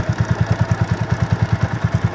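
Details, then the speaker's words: TVS Apache RTR 200 4V BS4 motorcycle, chain and sprocket set at about 30,000 km, idling on the stand: steady quick thumping about nine times a second with rough clatter from the front sprocket; worn chain and sprockets, replaced. "200 यह जो सामने वाला point है उसमें थोड़ा ज्यादा ही आवाज आ रहा है"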